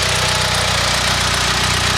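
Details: Mitsubishi 4G63 engine in Evo 3 DSM at idle: loud rapid regular low knock keeping time with the engine; owner suspects a spun bearing.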